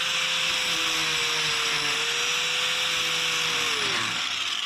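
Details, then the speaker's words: Cheap angle grinder with a poor switch: steady high motor whine that drops away mid-run as it shuts off on its own without the switch being touched; faulty switch tripping it off. "All right, we'll turn it on, and then we'll run it, and watch how it trips off. See? I didn't even touch the switch."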